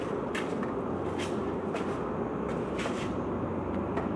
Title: 0042 Citroen Xantia X1 釋放軸承異音 Clutch Release Bearing noise 20201123